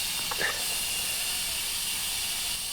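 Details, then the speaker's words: 1968 Oldsmobile 442, long unused: a steady, sharp hiss of air escaping at the tire bead during inflation, with no engine running. Weeds have grown into the bead, so the tire must come off. "think we just bled out the bead on this one have to pull this one off you can see the weed's been growing up in the bead right here oh yeah you can hear your hand moving across the air blown out not a great sign"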